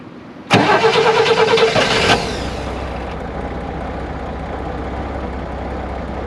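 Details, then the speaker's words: 1965 Corvair 500 engine just reinstalled: it catches, flares, then settles to a smooth, quiet, even idle with no knocks; the throttle linkage is sticking and slow to return to idle. Normal idle. "it just sounded terrible but I just decided to be patient listen to that that is quiet"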